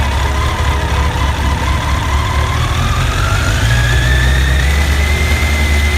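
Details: Honda CBR1100XX at idle before repair: loose tinny chatter from the top end over the steady hum; worn cam chain tensioner lets the chain rattle, fixed by tensioner replacement.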